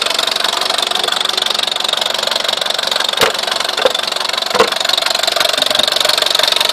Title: Weird noise on my VW Scirocco 1.4 TSI engine